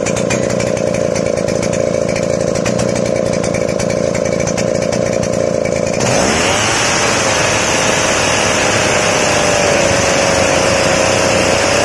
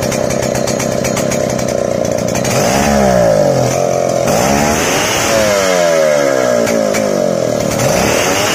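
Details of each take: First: Chainsaw two-stroke after carburetor mixture adjusted to medium fuel for a crisp note: high even full-throttle scream settling into a crisp, clean, steady pitch; running properly. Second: Two-stroke engine on Senso carburetor before adjustment: loud, uneven, wet burbling stutter instead of a crisp note because too much fuel is fed; rich mixture.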